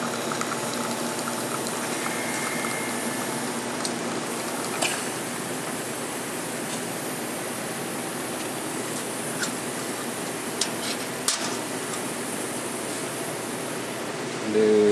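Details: La Cimbali 220 V espresso machine pulling a shot: steady hiss and trickle of liquid over a constant pump hum throughout; espresso pump running normally.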